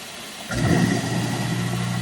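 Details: Garbage disposal after being reset with the reset tool to cure a stalled buzzing hum, tested with water running; the motor kicks in and settles straight into a steady, even hum, spinning freely, normal running.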